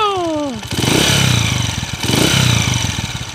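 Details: 2010 Honda TMX155 motorcycle idling in neutral with a noisy, clattery engine and a faint high "meow" whine, from a worn timing gear; the engine also emits white smoke.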